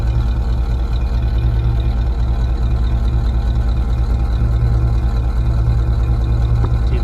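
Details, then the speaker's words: 1961 Rolls-Royce Silver Cloud running after a refurbished spare distributor was installed: low, even exhaust burble at steady idle, no misses or stumbles, with an audible exhaust manifold leak. Normal idle. "You can hear there's a leak in the exhaust manifold, but overall, it really seems like it's running very smoothly."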